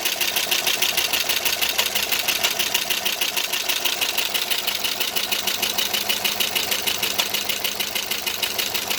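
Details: 2009 Pontiac G8 GT, bought used at 121,000 miles with cam swap and DOD delete, under 1,000 miles since: loud, fast steady ticking about three per second at idle; valvetrain/lifter tick, owner questions whether the DOD delete was done right.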